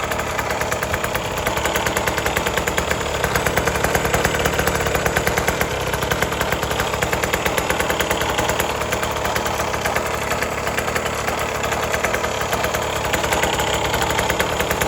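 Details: 1980s Cruise N Carry small outboard, sat about 20 years, after carb clean and fresh gas: rapid crisp two-stroke popping stays even throughout with no stumbling or dying; idling well, propeller spins up properly.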